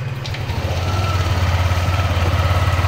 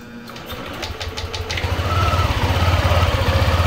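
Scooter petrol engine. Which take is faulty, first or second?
second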